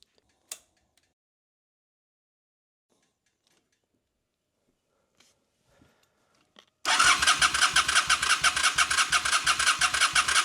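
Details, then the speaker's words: 2003 Honda Shadow Spirit VT750 V-twin, previously running on one cylinder, after carburetor cleaning: fires straight up into an even loping idle of about three pulses a second on both cylinders; idle super smooth. "Oh yeah, she's running great. idle is super smooth."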